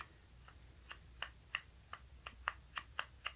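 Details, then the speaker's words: 1986 Mustang with a slack worm gear. Sharp light ticks come unevenly, about three a second, as the gear knocks about in its plastic housing. Planned fix: epoxy to take up the void and keep it engaged. "so there's any way there's slack in it hopefully we can hopefully we can put some epoxy in there and basically make our own mold so that it's stout enough to keep it engaged"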